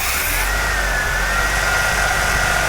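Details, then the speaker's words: Jeep with PFI fuel injection system just installed, first start-up before timing is set: engine runs fast and smooth at high cold idle, speed easing down slightly as it settles; normal elevated warm-up idle after start. "there's that high idle again that will come down I'm gonna wait a few seconds for that to come down"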